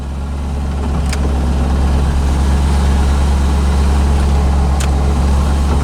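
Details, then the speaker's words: 1985 Chevrolet Corvette C4 V8, just revived after a no-start traced to a poor negative battery cable connection: smooth low rumble settling and evening out over seconds, no knocks; oil and coolant temps still low, normal cold idle. "But now, it's working. And as you can hear, running. Battery's charging, oil pressure's good, RPMs are good."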